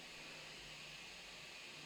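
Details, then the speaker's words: 3D printer (Prusa-type i3) switched to silent mode mid-print, fitted with printed cable chains: only a soft steady fan hiss, barely audible from beside it, no motor whine; normal quiet running. "yeah in silent mode the vast majority of uh vast majority of the noise is the freaking fan but there you can see I I can barely hear it"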